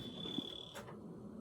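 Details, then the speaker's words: Carbon monoxide detector over 10 years old makes a thin, high-pitched half-second chirp over quiet room noise; it is probably dead and needs replacing, though the cause is not confirmed. "So your wife said there was another one. Why is the carbon monoxide detector making a chirping sound?"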